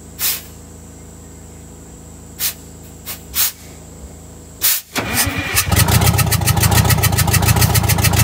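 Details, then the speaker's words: Detroit Diesel 8V71 in a vintage Scenicruiser bus that is down a cylinder: a few thumps, then it cranks and catches into a fast, loping run. That cylinder's injector is bypassed so no fuel reaches it. "we went ahead and bypassed the injector on that cylinder so no fuel goes to that cylinder"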